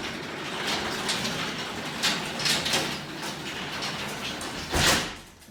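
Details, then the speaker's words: Small 9x7 garage door run by hand: rough, scraping rumble with sharp clacks from worn steel rollers bumping through the track. The rollers were later replaced with nylon ones. "so far it looks like we're having some issues with our rollers causing some unsettling noises and sounds it's definitely not quiet"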